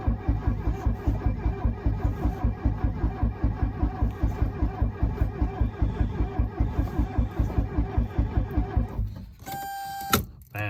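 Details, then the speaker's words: 1982 Mercedes 240D W123 diesel, long unused, very cold day, no glow plug light: starter cranks at about four beats a second for nine seconds with no firing, then a chime; owner suspects glow plug relay or glow plugs. "not helping that it's so cold today I think it might have started even with bad clox if it wasn't so cold that I'm thinking there's something wrong with the with the glow plug relay or uh or with the glow like themselves"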